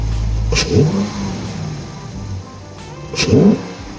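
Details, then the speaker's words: 2019 Dodge Charger R/T 5.7 HEMI V8 after JLT cold air intake install: two quick throttle blips sweep up and drop cleanly under a loud hollow intake rush; owner says it sounds like a vacuum and makes a difference; normal revving. "Did y'all hear that shit? Sounded like a vacuum. Straight up, makes a difference."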